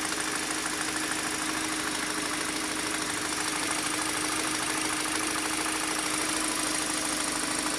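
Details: 2013 Kia Optima K5, 2.0L Nu CVVL engine: steady light tapping about two or three a second over a smooth idle, gone when the accelerator is pressed; engine tick of unknown origin.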